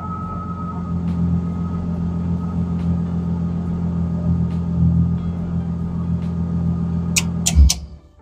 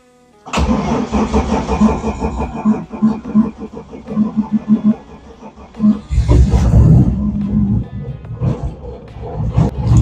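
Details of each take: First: BMW E30 Touring, M50B25 engine, idling after the ignition coils were refitted: smooth, steady low rumble with no stumbles or missed beats until switched off; normal idle, no misfire. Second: BMW E30 Touring, M50B25 engine, on ethanol fuel in very cold weather, oil suspected in combustion chamber: long uneven cranking about three beats a second before catching and running rough; long-cranking cold start.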